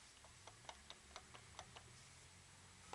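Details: Subaru Legacy BH5, engine off, drive shaft rocked by hand: irregular sharp metallic clicks from a loose, worn inner CV joint at the gearbox; both left and right shafts have heavy play.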